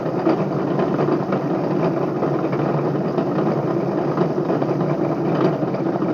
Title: Bedini Motor bad bearings